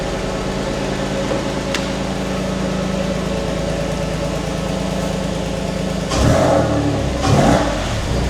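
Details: Porsche 911 (996) Tiptronic flat-six, towed in dead with a no-start, now fixed and run on the ramp: smooth, steady idle, then two quick blips that rise cleanly and settle back, some smoke probably from raw fuel after long cranking; running and revving normally.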